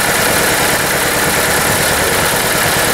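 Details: VW Polo busy idle with an uneven stumbling beat, checked with injector and coil waveforms on a Pico scope; steady misfire at idle.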